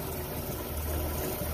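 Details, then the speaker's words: 1950 Chevrolet Fleetline Deluxe straight six, three-speed, after sitting 20 years; first run in a long time with new water pump, thermostat and gaskets, before carburetor rebuild: steady low rumble, even beat, no knocks or misses; normal idle. "and that's idle this thing's happening good that's before we rebuild the carburetor"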